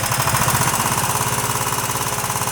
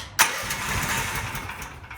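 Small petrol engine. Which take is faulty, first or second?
first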